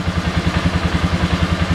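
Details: Polaris Sportsman 400 with faulty ECM (fan ran with key off): steady even idle, nine or ten beats a second, no misses or knocks; regulator/rectifier charging jump pack; healthy.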